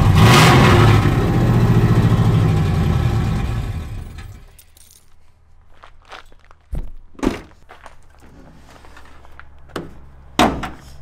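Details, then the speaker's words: 2nd-gen Dodge Ram truck just fitted with long-tube headers, open headers: loud, deep open-pipe roar from a single rev for about four seconds, then dies away with a few clunks; healthy V8, normal rev. "she is sounding good very excited man sounds awesome"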